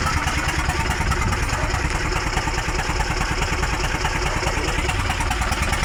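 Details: Hino 300 truck with W04D diesel, misfiring with white smoke: uneven lumpy idle about two beats per second with a hollow honking from the intake—diesel misfire at idle.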